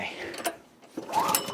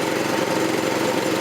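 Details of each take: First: 1984 Troy-Bilt tiller repowered with a 6.5 HP 212cc Predator engine, first start of the season: a few ratchety pull-over bursts, never catches; apparently no spark, dry plug. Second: 1984 Troy-Bilt tiller with a 6.5 HP 212cc Predator engine, running on a replacement short-nose spark plug after two bad plugs: steady, even, fairly quiet buzz at constant speed, no misses or surging; sounds same as last year.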